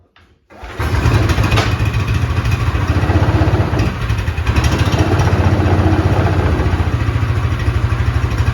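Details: Vintage Allis Chalmers Terra Tiger with Honda clone engine, after new exhaust was fitted and a year or two of sitting: catches quickly, then settles into a steady, even low thump with no misses or knocks; normal running.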